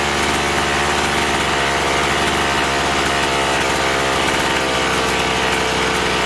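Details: Chainsaw that was surging and losing power, after carburettor cleaning with L and H screws set 1.5 turns out: steady high two-stroke buzz at high revs without bogging or surging; normal running.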